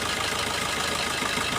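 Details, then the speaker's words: Car idling with injector number one disabled via OBD2 scanner test: idle turns lumpy, engine shakes, sound changes and revs drop, confirming that injector works. "हिलाना शुरू करें ऐसा हुआ था, है ना? यहाँ से आवाज भी बदल गई।"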